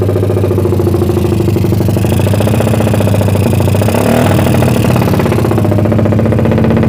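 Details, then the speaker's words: Suzuki Satria FU bored to about 177cc, lowered compression, PWK 30 carb with pilot jet 50 and main jet 150, cam timing unchanged. It kicked back when started but now idles with a loud, steady, helicopter-like throb. "Ya intinya udah nyala ya Lur Satria FU kurang lebih 177cc nya ya Hai di Suaranya kayak gitu ya Lur"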